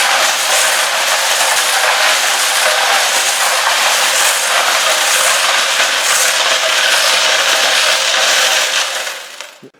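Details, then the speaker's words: Homemade foam-wrapped rotary tumbler loaded with nuts, bolts, washers, nails and pipe ends for deburring small forged iron pieces. It makes loud, continuous, even clattering, which is normal but noisy. "well that is the major problem with this is that it's just noisy"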